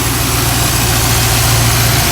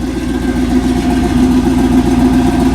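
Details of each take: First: Pontiac Grand Prix LSX on Holley Terminator X EFI, first start: steady V8 idle with constant hiss; vacuum leak from a popped-off vacuum cap, which kept it from revving and idling at 850. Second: Pontiac Grand Prix with an LSX V8 on Holley Terminator X at first start: lumpy, loping idle with a deep, even rumble and no misses or ticks; a healthy cammed V8.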